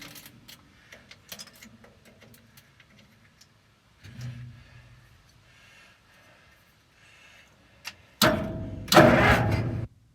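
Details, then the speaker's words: Link-Belt machine's updraft-carbureted engine cranked with full choke and throttle: the starter churns under two seconds with no firing; no spark because the coil wire was not plugged into the distributor cap. "If you look closely here, you can see the coil wire isn't plugged into the distributor cap."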